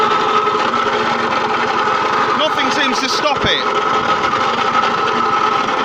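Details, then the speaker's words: Puch Mini Maxi two-stroke moped after fresh transmission oil, warming up on premix: steady idle with constant metallic ringing whine and brief rattle; still sounds terrible, possible slight rubbing under magneto cover but noise seems to come from higher up, source unclear. "well still sounds terrible I'm gonna let it run for a bit so that new oil heats up a bit and moves around"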